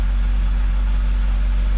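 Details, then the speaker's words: BMW E46 wagon idling just after work on a seized O2 sensor, with the car ready to start. Steady low rumble with no extra exhaust leak heard; owner says it might still be leaking but it is not loud. "now i got the car ready to start let's see how bad this sounds i mean i can't hear any extra exhaust leak"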